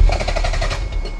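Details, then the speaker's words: Toyota MR2 with a JDM non-VTEC engine: a quick deep rattle of rapid pulses dies within a second as the engine stops turning. The rattle at shutdown is unexplained and its cause unconfirmed. "what's that noise there's like something like rattling when it turns off you hear that again"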